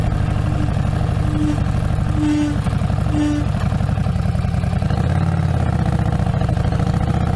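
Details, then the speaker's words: 2017 Harley-Davidson XG750 Street Rod rear brake: loud mid-pitched howl in short pulses with each pump of the brakes coming to a stop. Cause is the free-floating caliper arm on the axle vibrating, damped only by a small rubber bumper. Smooth braking avoids it. "So when you come up to a stop sign and you start pumping the brakes, you get this loud, obnoxious howling sound right before you stop."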